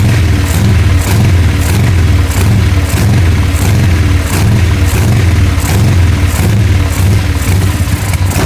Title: 883 misfire/won't idle